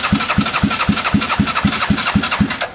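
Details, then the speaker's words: Bennche 500 (Hisun) UTV during fuel pump checks, O2 sensor loosened: rhythmic chuffing about four times a second that never catches; misfire because the spark plug cap was knocked off, cap damaged and needs replacing. "did I knock the spark plug cap off I did I was like what's going on I knocked the spark plug cap off so that might help huh"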